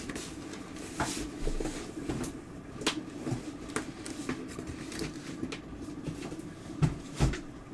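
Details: Apple HomePod reported to pop: over a quiet room, sharp irregular pops about every second, two loud ones near the end; the speaker pops loudly during playback, cause not confirmed.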